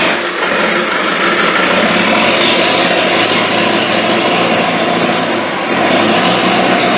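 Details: Land Rover 300Tdi diesel, freshly rebuilt, first start: steady, even diesel clatter at idle holding speed, burning off excess smoke; turbo hose not fitted; running fine.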